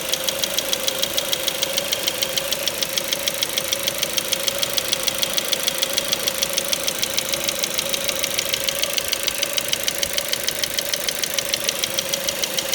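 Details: Ford Mondeo 4 2.0 Duratec HE, 89,000 km, LPG fitted at 70,000 km, idle: crisp even tapping about 200/min, persistent; not valves or swirl flaps, owner suspects petrol injectors; knock vanished revving to 7000 rpm stationary.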